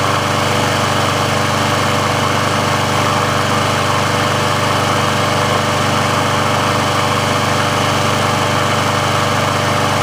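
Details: Briggs & Stratton engine on a Sears Craftsman mower after service/repair, warm with the auto choke open: smooth, steady single-cylinder drone at constant speed with no misses or rattles. The auto choke works as it should, so running is normal.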